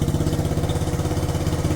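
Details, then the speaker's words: 1967 Honda CT-90, about 2,700 miles, aftermarket carburetor, in neutral, started after a couple of kicks: even, quick single-cylinder putter with a steady low thump, no misses or knocks; idling nicely, though throttle sticks. "Purring like a kitten. Gotta love it. Wow, that was only a couple of kicks too, not bad."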